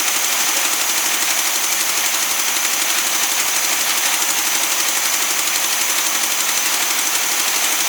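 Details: Newly acquired SpraCoupe air-cooled flat-four for a 1961 VW bus, running on coil from original bus engine: quick tinny even clatter about four beats a second, steady without stumbling; oil light goes off instantly; healthy idle.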